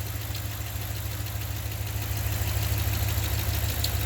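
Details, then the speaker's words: 2015 Ram 1500 with the 5.7 Hemi at idle, accessory belt removed: a light knock about three times a second under the V8 idle is still there without the belt, so the noise is internal. "se oye qué significa esto el ruido lo tenemos internamente no un río lo tenemos con la parte del motor"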